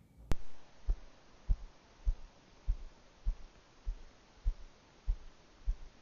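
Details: Sony WH-1000XM3 right earcup making soft clicking or creaking thumps in time with walking steps. It is more obvious with no music playing. The sound was recorded and processed to isolate it; cause suspected, not confirmed.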